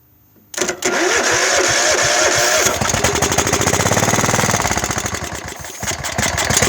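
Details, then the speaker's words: Craftsman LT1000 mower, 15 or 15.5 hp Kohler, hydro, sitting about five years, cold start on carb cleaner without fuel tank: few cranking beats, then catches and runs fast and even, clean firing, no misses; normal starting and running. "there she is she's running"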